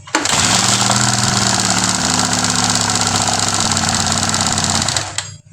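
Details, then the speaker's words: Honda Sonic 150 DOHC, complaint of a noisy cylinder head: loud metallic valvetrain clatter at idle because oil isn't reaching the camshafts; the oil pump is clogged by a disintegrated clutch damper rubber, which risks damaging the camshaft holders. "Ini dipastikan oli itu enggak naik, Teman-teman. Ini oli enggak naik ke atas atau enggak nyampai ke bagian head silinder."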